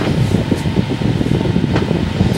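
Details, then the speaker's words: Bersted desk fan freshly switched on: a quiet, smooth hum with even airflow. Normal running. "nice strobing as you can see it's running very quietly now"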